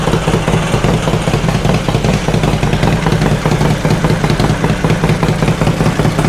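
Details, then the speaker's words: 2005 Harley Road Glide V-twin after top-end and rocker box teardown to fix a tick: lumpy idle with a faint regular tick, told it's the Woods cam making normal noise; much improved. "There's still a little bit of a tick, but not like it was. Uh I was told that's the cam shaft, the woods cams in these. uh they just make a little bit of noise"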